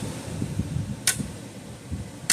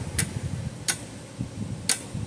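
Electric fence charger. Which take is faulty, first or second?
first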